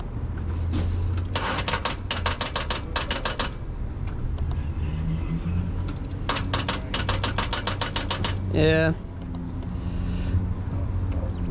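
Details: 1996 Impala SS, battery reading 12.5 V, jump attempt: bursts of rapid dry clicks about ten a second, no cranking or firing; battery likely has a dead cell.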